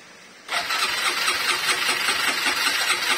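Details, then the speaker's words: Honda MegaPro single-cylinder motorcycle with rough-running engine, started and idling: busy metallic rattle from a long-unreplaced, stretched cam chain that has worn into the cylinder block and causes an oil leak there. "motor ini mesinnya kasar dan saya perkirakan itu adalah suara rantai keteng atau rantai kamprat ya lebih tepatnya"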